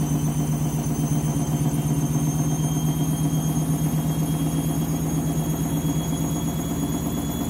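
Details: Candy washing machine, new clothes, final spin ramping up: deep droning hum with rhythmic thumping, almost three beats a second; abnormal strange noise.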